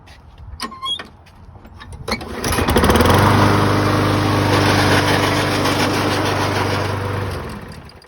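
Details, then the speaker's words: 2007 Toro Recycler mower after traction cable replacement: when pulling under load it runs steadily but a rough, gritty gear grinding from the failing transmission is heard; it still pulls. Opened transmission showed slightly worn gears and grease packed with mud. "So when it pulls stuff, it does a little bit funky stuff, makes some noise, but it does pull."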